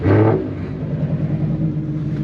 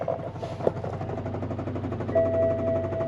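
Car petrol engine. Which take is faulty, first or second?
second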